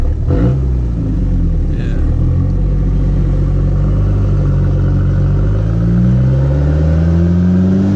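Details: B3000 with new Cummins turbo swap, driven gently: deep diesel note climbs smoothly as the truck pulls, no knocks or misses; feels more powerful and smoother, healthy under load.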